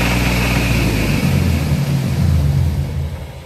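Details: Dodge Dakota 3.7 V6: deep, uneven thudding rod knock under the engine as it revs and drops back. It began hours after a shop visit, with falling oil pressure and no oil found; oil had been changed two months prior, with no leaks.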